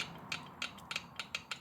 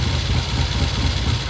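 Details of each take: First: 1972 Triumph TR6 650 twin, engine off at top dead centre: crisp, even light clicks as rocker is rocked by hand; valve clearance correct at 2 and 4, so valve clearance is not why left cylinder runs hot. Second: 1972 Triumph TR6 650 twin, 5-speed, oil-in-frame, single carb, idling: low, lumpy idle with irregular beat; left cylinder runs hotter; cause not yet found.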